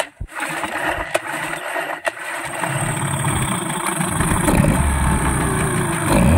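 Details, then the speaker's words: Yamaha 15 hp outboard that stalled at low rpm when shifted into forward, after fixing a leaking reed valve and a clogged carburetor: a few knocks, then steady running in forward gear with the throttle released and no stalling. "kita akan masuk handel maju kita lepas gas dia tidak mati lagi sama sekali oke jalan terus tidak mati posisi handel maju ke depan"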